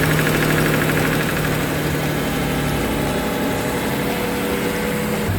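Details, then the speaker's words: Mercedes CL65 AMG twin-turbo M275 V12 after new spark plugs, coil pack and voltage transformer for a misfire: it settles into a smooth, steady idle with no ticking over the low hum. "This has always run so smooth."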